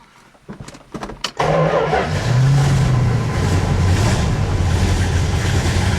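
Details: 1970 Plymouth Road Runner V8, revived after sitting over 25 years, catches after a few cranks and settles into a strong, even, deep rumble with no knocks or rattles; gauge shows 70 PSI oil pressure, dash reading blamed on faulty gauge; healthy engine.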